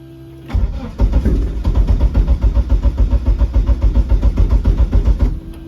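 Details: Eagle Talon engine on a DIYAutoTune MegaSquirt ECU, fixed timing set to 10°: steady starter cranking at about 3.5 pulses a second that never catches. No-start because the ECU keeps losing crank-signal sync.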